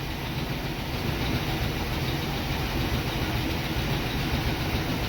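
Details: International Scout after about 13 years sitting, new plug wires, not yet up to temperature: settles into an even, steady idle with no misses, knocks or pops, sounding healthy.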